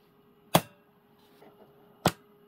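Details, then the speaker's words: Repaired German WW2 Funksprechgerät f radio: the big relay gives two sharp, clean clacks about one and a half seconds apart over a faint hum, pulling in and dropping out properly. "finally after hours and days of work it is ready we hear the big relay"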